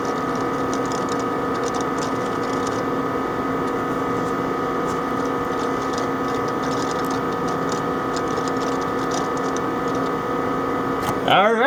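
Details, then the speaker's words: Compaq ProLiant ML350 G3 Xeon server from the early 2000s, booting from recovery mode with the camera placed next to the drives: steady fan whine under rapid, irregular ticking, normal drive seeking. "So I'm going to put the camera right here and you're going to be able to hear the drives."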